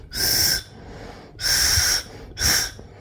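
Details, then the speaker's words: Honda K24/K20 air assist valve off the engine, cold, blown through by mouth: three clear breathy hisses as air passes; valve open when cold as expected, should close around 120°F; air assist valve open when cold. "you're hearing that sound that means ear is coming through"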